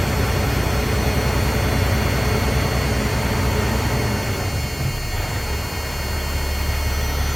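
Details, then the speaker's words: Freightliner FLD, C15 diesel, just after an oil and filter change and a new fuel filter, revved to keep it primed: steady roar at raised revs, then settles into a deep, even rumble with no knocks or misses. Normal revving. "revved it up. if I wanted to keep it running since I just changed the filters. Make sure it stayed prime."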